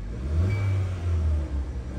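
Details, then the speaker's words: 2016 Kia Soul with P0300/P0303/P0304 misfire and P0420 codes, after clearing the pending code and replacing fouled spark plugs: engine revs smoothly with each throttle blip, no stumbling; accelerates well. "el vehículo acelera bien"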